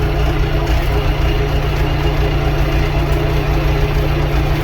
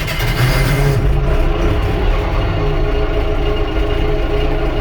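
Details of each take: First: Allis Chalmers 6080 tractor after overhaul, heard at idle from inside the cab with cardboard added to cut cab noise: steady, even diesel idle with a deep low thrum and the muffler clearly audible; the engine runs normally. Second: Allis Chalmers 6080 tractor on its first work after an overhaul, heard in the cab at idle: loud, steady diesel drone booming and echoing off the roof panels, excessive cab noise with the cause not yet identified.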